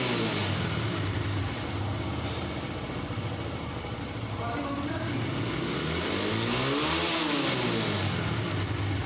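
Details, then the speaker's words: TVS Raider 125cc BS6 single-cylinder bike, 2500 km, after fixing a missing/jerking problem: revved up and down, pulling cleanly and evenly with no stumbles or dropouts; no missing now. "Bike हमारी okay होगी bike में कोई missing नहीं"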